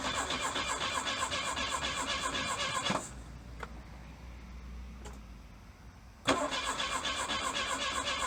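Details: 1982 Plymouth Reliant dormant 29 years, low mileage, with little or no spark: two bursts of steady starter cranking at about four turns a second, never firing; crank-no-start, later found to need ignition parts.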